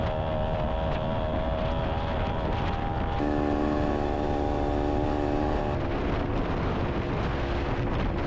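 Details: Honda Odyssey FL250 on a ride after its fuel pump was rebuilt and refitted: an even engine drone under load through wind, pitch shifting cleanly as revs change, with no misfire. Normal running under load.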